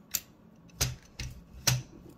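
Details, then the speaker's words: Toshiba BW-3112 Japanese kanji typewriter during adjustment: three sharp mechanical clacks as the carriage slams to a hard stop; cause unclear, owner hopes it is unrelated to the middle retainer adjustments. "oh now it's hard stop I wonder what that could be"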